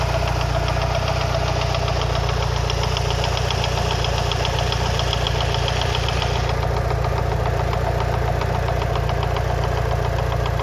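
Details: Mitsubishi Lancer Evolution VI 4G63T after a track day, warming up at 75–80°C oil temp: sharp top-end knock at 3–4/s, loudest near cylinder 1, silent cold and quieter fully warm. Lash adjusters cleaned and bled without improvement; rod knock or lifters unknown.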